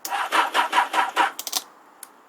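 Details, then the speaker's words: Motorcycle with a dead battery, cranking before a jump-start from a car battery: five or six labored starter strokes that slow and fade; battery too weak to start. "it was still too weak to start anyway so that's what it does you hear the you're trying to start it it's slowly you hear the starter slowly winding down getting weaker and weaker"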